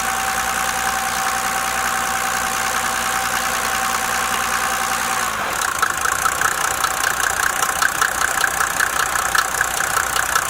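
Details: Mercedes OM603 diesel idling with a steady knock, about two and a half per second, riding over the clatter; source of the knock not pinned down.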